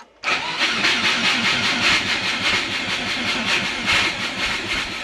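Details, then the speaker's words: Turbo Subaru Forester on Haltech Elite 550, next day after coolant leak fix: starter churns unevenly at about two or three pulses a second, engine won't catch before finally starting; extended cranking, no start. "Come on. Oh, but you don't want to start."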